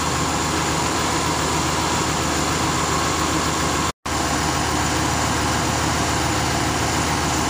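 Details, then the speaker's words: 1966 Ford Thunderbird engine, not run in many years, at idle with the idle speed turned down: steady, even V8 idle with a smooth low rumble, no knocks or misses, though idle still hunts slightly up and down; normal idle. "all right with the idle down she sounds a whole lot better i'm still having the finicky with it it wants to go up a little bit come down a little bit but it hasn't been run in many years so it still sounds good huh"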